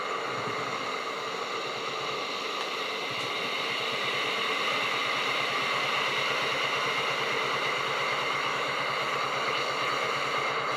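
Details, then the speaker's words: Tefal Access Steam Force DT8270G0 handheld garment steamer, 2000 W, new unit in delicate mode; steady hiss over a soft pump buzz, level and even throughout, normal steaming. "so nice and steamy and of course you can hear the level of sound or noise it produces while working"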